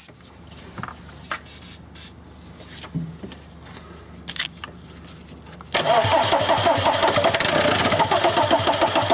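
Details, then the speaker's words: VW camper van with swapped TDI diesel engine and new harness: quiet clicks including the fuel pump, then rapid cranking at about three and a half beats a second with starting spray, never catches. Owner wonders about the M1 relay; cause not confirmed. "'m gonna crank it and I'm going to spray the stuff in hopefully it starts"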